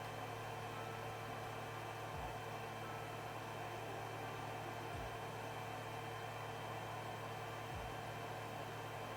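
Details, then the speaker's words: Creality Ender 3 Z axis after applying Super Lube grease to the Z rod, which had squeaked and bound before; the gantry moves up and down almost silently with steady hum, fan hiss and soft thumps, no squeak. "It's super silent and you don't hear the squeaking sound."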